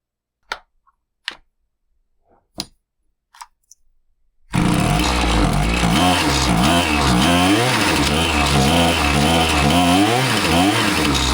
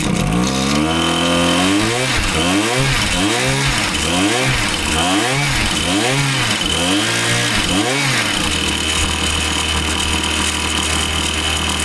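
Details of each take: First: Husqvarna 525PT5S two-stroke pole saw after a carb refresh, with both mixture screws set a further quarter turn rich: it fires after a few pulls and revs unevenly, stumbling and bogging as the throttle opens. It runs fine on top but ignores low-speed adjustment; cause unconfirmed, possibly not the carb. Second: Husqvarna 525PT5S two-stroke pole saw, previously bogging, on the final run after carb work and a new ignition coil: about eight quick throttle blips snap up cleanly, then it holds a crisp, steady high speed; the bog is gone and it sounds healthy.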